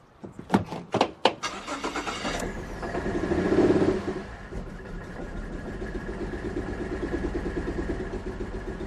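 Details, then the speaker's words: Ex-police 2008 Series 1 Holden Commodore VE, first start after fuel work, smelling gassy: cranking bursts catch into a lumpy, uneven idle with stumbles, and the owner suspects the spark side. "So, we do have misfires on five, six, three, and uh random, which is kind of what we can see."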